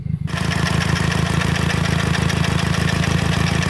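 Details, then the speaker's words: Nissan Sentra GA16DET heard in the engine bay at idle: loud, even rumbling pulse about four beats a second; noise seems to come from the transmission, owner suspects a failing input shaft bearing, unconfirmed. "it's dark you can't see nothing but that's what that noise sounds like from right in the engine bay"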